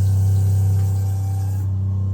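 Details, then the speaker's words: 12-volt pressure-sensing water pump on a widebeam boat, bow tank, 25 psi with accumulator, tap open: steady low even hum and buzz, no knocking or surging; runs normally and switches off when tap closes. "Now when I turn the tap off, the pump switches off."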